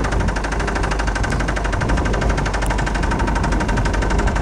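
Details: 1999 Saturn SL2 1.9L twin cam, starts every time but smokes: loud, rapid, evenly spaced deep hammering knock over running engine; rod knock.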